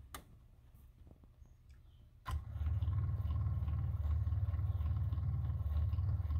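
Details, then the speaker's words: Onan QG 5.5 generator during a priming cycle before start: a click, then a low steady hum from the fuel pump holding evenly; priming normally. "i'm gonna do a prime maybe you can hear it look there's the fuel pump down there"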